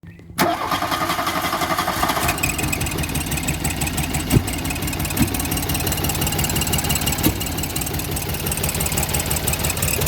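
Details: 1985 VW Golf Cabriolet: engine catches and settles into an uneven, lumpy idle with irregular stumbles and thumps; misfire, owner suspects bad ignition or cam timing, or possibly fuel injectors or vacuum leaks, unconfirmed.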